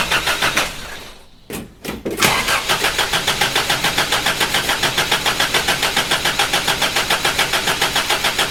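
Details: Toyota Hilux, first crank since body/cab swap: even cranking pulses about 3.5 per second that never catch; no start, likely very little old fuel in tank, possibly evaporated.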